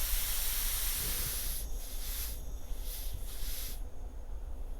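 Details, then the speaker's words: Shop air compressor line with a new in-line air/water separator for a plasma cutter, tank at 100–125 PSI: a steady, sharp hiss pulsing over background hum from a fitting that leaks unless mounted perfectly straight. "it has to be perfectly straight in order for it to not leak so I'm going to try to rig up a board behind here so I can mount this with a clamp or something cuz I don't like it leaking like that"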